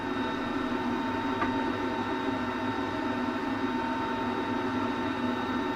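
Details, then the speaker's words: LG WM3488HS washer/dryer combo after replacing hot-air circulator fan motor whose worn bearings caused the whine: smooth, steady quiet hum, faint constant tone, no whine, rubbing or rattle; normal dryer fan running. "That particular motor sound, or that whining noise that I had, that's what it was. The bearings in the fan."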